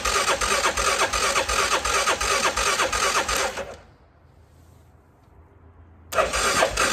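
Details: CF Moto Moose Tracker 500 ATV that sat about 3 years, choke held, battery pack on: two bursts of even cranking about three turns a second with a pause, no firing; carburetor later found gummed and plugged.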